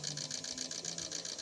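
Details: Three injectors from a Chevrolet Onix LT 1.2 three-cylinder with power loss, bucking and vibration, pulsing on a test bench: rapid, even high-pitched ticking over a low hum while spray pattern is checked.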